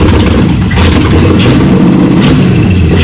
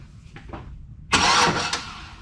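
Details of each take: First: Chevy V8 swapped into Jeep Comanche, spark and fuel pressure confirmed: engine catches and runs rough for about four seconds, then sags and dies; only runs on starter fluid, cause unresolved. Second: Jeep Comanche with Chevy V8 swap, fuel system and wiring just installed, engine only runs on starter fluid; quick starter test gives a strong, even burst of cranking: starter works normally.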